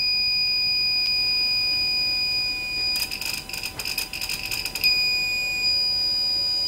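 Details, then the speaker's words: Microtek inverter that shows overload and inverter-on indications when switched on and cannot be switched off: a steady high-pitched beep sounds continuously, briefly interrupted by probing noises; the fault is traced to pins 27–28 of the control IC. "जैसे हमने जो है ये on किया on करने के बाद यहां पर देखें ओवरलोड और इनवर्टर ऑन का ट कर रहा है और कंटिन्यू बीप दे रहा है"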